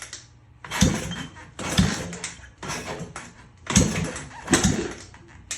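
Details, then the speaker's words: Free 1980 Honda XL500S single, first start after oil fill with spark confirmed, plug refitted and starting fluid sprayed in the intake: five or six kick-over bursts about a second apart, coughing and catching briefly: engine firing on kick start. "Oh, we're on fire! We got fire! Yeah! Yeah! I just started this thing."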